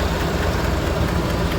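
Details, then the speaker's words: 2017 Chevrolet Silverado 5.3 V8 with AFM deleted, 25,000 km, P0324 knock sensor code: a light quick tick over the idle rumble, louder from the right side. The number four pushrod bent again a year after it was replaced. "definitely there's a kicking noise coming from the right hand side"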